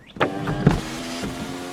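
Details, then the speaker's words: Toyota Camry sunroof after lubricating the tracks with silicone synthetic grease, which fixed a clunk: motor runs with even hum and soft tracking, only light bumps at start and stop, no heavy clunk; normal operation. "much smoother much nicer than it was just run it back and forth a couple times it's going to be a lot happier that way"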